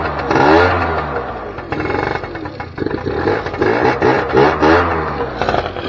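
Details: 2006 Keeway F-ACT 50 two-stroke scooter, running off a weed-wacker fuel tank with carburetor not yet sorted; rough, uneven buzz climbing and falling with throttle blips, runs and revs but won't idle right.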